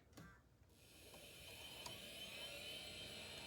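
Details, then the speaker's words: Early-1990s 486 PC being revived, hard drive powered and checked before adding a CR2032 battery: quiet high whine rising to a steady tone as the platters spin up, drive starts normally. "Oh, there we go. There we go. I hear the hard drive now."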